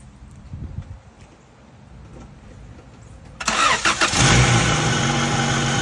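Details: 1999 Acura Integra coupe after valve lash adjustment (intake .004, exhaust .007) to cure a tick: engine fires and catches quickly, then holds a smooth, steady idle with no valvetrain ticking; tick fixed.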